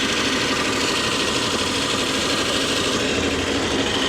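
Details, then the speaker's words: Abandoned Geo Metro LSi convertible, three-cylinder, year unknown, long-dormant, just started: steady fast busy idle at about 1500 RPM with no drop or hunt, obviously too high; owner suspects an adjustable set screw for idle speed, cause unconfirmed. "it's idling about 1500 RPM which is obviously too high um there's probably a set screw on something this old that you can uh change the RPMs"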